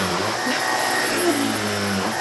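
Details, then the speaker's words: Vacuum brushing the sofa, spinning hard and fast with strong suction; steady high-pitched whine with constant suction hiss, some brush noise but no rattles or surging; operating normally. "avec la puissance il tourne tellement fort et tellement vite et il aspire tellement fort que on a l'impression quand on le fait sur quelque chose avec cette brosse là et ça un peu de bruit mais franchement il va super bien"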